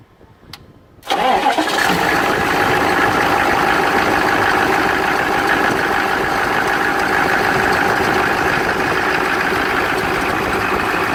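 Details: 1993 K3500 with rebuilt 6.5L diesel (upgraded for power, blows smoke constantly) starting up: cranks briefly, catches at once and settles into a steady, even idle with light clatter and no knocks.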